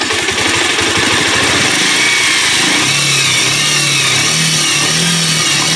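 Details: Bajaj Pulsar 150 single-cylinder after full engine rebuild (was smoking black, carbon-wet silencer), carburettor not yet tuned: revs cleanly, pitch climbing and settling evenly, no knocks or rattles; healthy engine.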